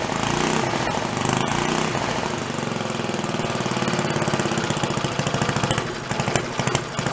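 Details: Slow idle of a roughly 80-year-old Briggs & Stratton single-cylinder water pump engine, revived after sitting 50–60 years, with its throttle spring set up for about 3,300 rpm running. It putts slowly and evenly, firing steadily with no misses or knocks.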